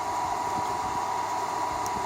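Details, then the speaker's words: Dyson-style knockoff bladeless fan switched on and blowing strongly: smooth, even rush of air with a faint steady hum, no rattle or grinding; normal running. "I can turn it on you can clearly hear that is working and I'm just pulling that I could still beat"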